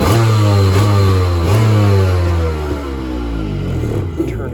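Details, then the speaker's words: Kawasaki ZXI 1100 jet ski, kept garaged for years and in very good condition, starting: it catches at once and settles into a steady, even low idle with no misses or knocks. "So I'll fire it up real quick here so you can hear it. Here it fires right up idle."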